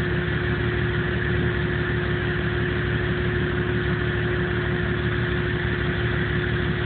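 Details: 1997 Jeep Cherokee with no codes and no engine light: low, uneven idle with a loping pulse about twice a second instead of a smooth beat; rough idle, cause unknown.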